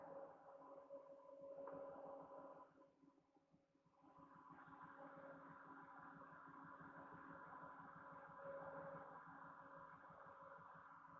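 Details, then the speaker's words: 2007 Chevy Silverado 5.3L V8 just started cold (coolant 77 degrees) with a flashing check engine light: uneven loping idle, about four stumbles a second; scan shows a dead misfire on cylinder 1. "So it does look like cylinder 1 is the dead misfire."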